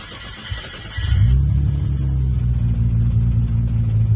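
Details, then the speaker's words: Nissan Skyline R34 GTR after fuel pump and filter replacement for lost fuel pressure: pump heard priming, brief crank, catches within a second and settles to a steady, even idle; normal start with fuel pressure restored. "we have fuel pressure and the car's running and idling, which is a good sign. That means everything's working the way it should."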